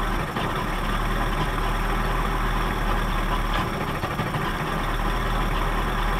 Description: 1979 Johnson 55 2-cylinder 2-stroke Outboard experiences rough idle